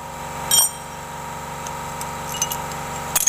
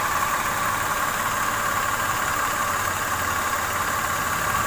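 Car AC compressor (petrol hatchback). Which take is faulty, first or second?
second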